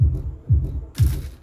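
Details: Kita subwoofer box: deep bass thumps about twice a second, each with a buzzy rattle; the cabinet's wooden panel has come unglued and vibrates, stopping when held firm.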